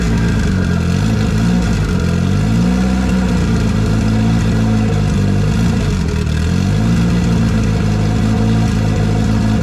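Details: First run in a year after motor install with belt bottom end, new E85-compatible push-lock AN fuel lines and fresh coolant: runs steadily with rising and falling revs, deep even exhaust note, no knocks or misses.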